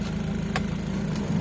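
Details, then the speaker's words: Nissan X-Trail with electronic throttle, restarted during idle learning after throttle body cleaning; a steady low idle drone dips and wavers when load comes on, so the idle is still heavy under load and relearning is still needed. "nah turunkan tapi kalau dikasih beban begal lagi"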